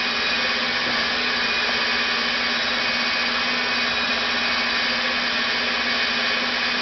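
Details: Rebuilt NetGain WarP 9 DC motor seating new National T300 brushes, idled by an EVNetics Soliton1 after about 40 hours of running. Even hum with a constant tone near 200 Hz and airy hiss, no surging, around 900–1000 rpm before an unexplained drop. Normal idle.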